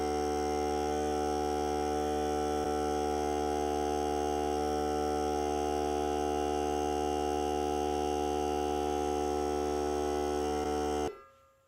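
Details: Hart cordless air compressor during break-in run on a fully charged battery (30 minutes or until the battery dies), pressure around 30; steady firm motor drone, no escaping-air hiss, then clean shut-off, normal compressor run.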